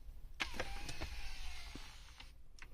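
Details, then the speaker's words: Audi A6 C7 MMI display fold motor after lubricating the dry metal guide with PTFE grease and the mechanism with silicone grease: a soft, even two-second whir with light clicks at start and stop. The earlier crunch on closing is gone. "сейчас вроде звук прям стал без каких-то посторонних неприятных там хрустов"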